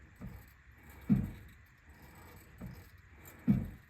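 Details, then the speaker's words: 2011 Ford Explorer clunking when the steering is turned left or right, heard under the vehicle at the front strut; deep dull clunks with a slight ring as the coil spring twitches and catches, with the spring/strut assembly to be replaced. "can muffle that noise a ton because it's the vibration in that spring causing that Doom noise and I can feel it twitch right there"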